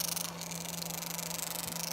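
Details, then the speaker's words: Electric roller vane fuel pump for waste oil burner, fluid-cooled, running with steady low hum and fast busy chatter over hissy top end; normal chatter from rollers in five or six slot pockets. "here's a better diagram fellas of the roller vein pump that's why we hear that chattering"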